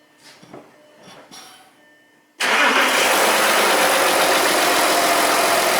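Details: Short whirr catches at once and settles into a steady, even diesel idle with no knocks or misses: 3.0L TDI Touareg starting after fuel filter replacement and priming, healthy start.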